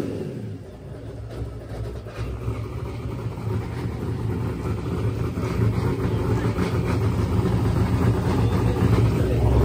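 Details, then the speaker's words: Silver Z06 with boosted LS engine on a full pass: it pulls hard, then after the last shift into high gear it hangs at one flat RPM instead of climbing, as the tune's boost safety cuts power; the safety is to be turned off. "so we'll play it again just listen to it clearly you can hear on once it clicks high gear it just keeps just holding one RPM"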